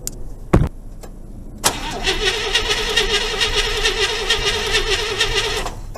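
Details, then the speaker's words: 1976 IH Scout II Terra 345 with new engine, wires, alternator and starter, which shut off while driving: it has fuel but no spark. The battery is run down from cranking, so the starter turns slowly and unevenly and the engine never catches. "she's cranking a little slow because we've already warned the battery down I'm going to put the charge on her in a minute"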